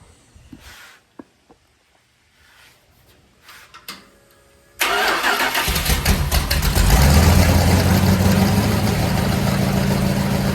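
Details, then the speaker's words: Freshly built Mopar 400-to-500 stroker big block on a run stand, first start-up: after a backfire through the carburetor showed slow timing, timing advanced clockwise; a few clicks, short crank, then a steady, even rumble with no backfire. "so here's a good little teachable moment for us since we had a backfire to the carburetor we know the timing is slow we're going to advance it this is a big block so we need to go clockwise just like that now we'll fire it up and see what happens"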